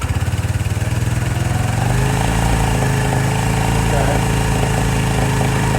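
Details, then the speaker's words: 2018 Lance Cali Classic 125cc scooter, first start after sitting with a dead battery: a couple of seconds of uneven pulsing, then a steady, quiet, even low idle; the owner suspects the automatic choke was stuck earlier. "nice and quiet seems like it wasn't happy with the automatic choke"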